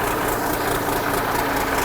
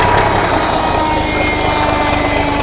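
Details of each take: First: 1963 Mack F600 diesel truck: fires up after a slow start, starter valve suspected worn, and settles into a steady, even idle with a smooth low rumble, no knocks or misses; oil pressure slow to build through the big filter. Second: 1963 Mack F600 diesel truck firing up: steady whirring tone lingers and slowly drops in pitch after the engine fires, as the starter hangs on; owner suspects a worn starter valve.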